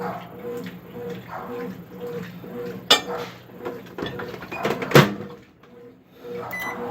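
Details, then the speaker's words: Microwave after fixing popping noise caused by a shorted high-voltage diode, heating a glass of water for 30 seconds: steady even hum with no buzzing or rattling; water comes out hot. "30 segundos pronto a zuada já saiu né é aquela zuada incomoda ativa já saiu e tá tudo ok né"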